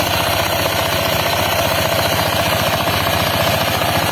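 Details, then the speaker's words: Honda PCX 160 scooter idling with the CVT cover open and a steady, loose clattering knock from the front drive pulley; the noise disappears with the pulley removed, though the rollers are still good. "Oke Guys nih saya lagi bongkar CVT ya CVT motor PCX 160 sudah terdengar suara klotok klotok Contohnya seperti ini kita hidupkan dulu motornya ya"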